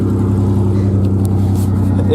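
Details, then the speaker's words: Modified Ford Ranger 4.0 with EGR delete, cold-start idle on open headers with no exhaust: a loud, raw, pulsing idle with a hard low bark, too loud and shaking the truck. No check engine light. "It's too loud with open headers."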